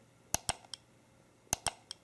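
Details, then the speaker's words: AllSun EM276 fuel injector tester in mode one, single 250 ms pulse: the tester button clicks, then the injector gives one crisp tick as it fires, a normal fuel injector click. "so to operate the tool you just press and release the button you don't have to hold it down and first you'll hear the button clicking and then you'll hear the"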